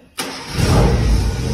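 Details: Tofaş car engine with noise from below; quick crank catches within a fraction of a second, then rises into smooth, even rev with no knocking; normal engine start and rev.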